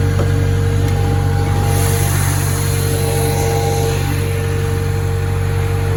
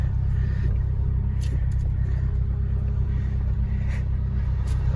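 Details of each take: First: Acura (Honda) stationary at idle before a power steering fluid flush. Turning the wheel brings a constant mid-pitched whine over the engine and steering becomes hard left and right. Power steering pump whine. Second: Acura (Honda) stationary at idle after a power steering fluid flush with genuine Honda fluid, wheel turned left and right. Steady engine rumble with the pump whine gone or very subtle; turning is smooth. Quiet power steering pump.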